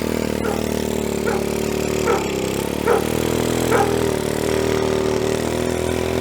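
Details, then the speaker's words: Stock 50cc GY6 TaoTao scooter with CDI, coil and plug wire, on a driveway test ride after a clutch spring install: drones at steady low revs with weak surges that never build. Stiffer clutch springs bog it, lowering power and top speed from a 38 mph baseline. "Alright, so there is a noticeable difference in acceleration and top speed. It's not fast, it's a lot slower. The scooter doesn't like it. We don't have enough power."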